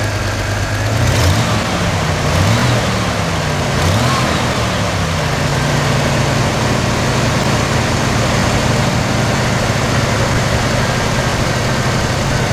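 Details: 1991 Chevy S10 Tahoe after a new starter and a cap-and-rotor change, running well for five days: it settles into a smooth, even idle with a steady low hum and no knocks or misses. The engine sounds healthy.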